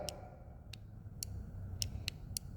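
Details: Nova sliding remote amperage control (amptrol) sold with Everlast welders, a replacement unit worse than the first: sharp irregular ticks, about six in three seconds, over a quiet hum as the faulty control keeps trying to switch the welder on.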